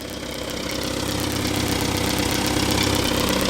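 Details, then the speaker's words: Small classic four-cylinder being tested in the garage with the air cleaner off, after fettling so fuel spray is visible, not yet warmed up: settles into a steady, even idle, smoother than before. "yeah it sounds pretty good certainly seems smoother compared to how it was before I'm pretty pleased with how that sounds"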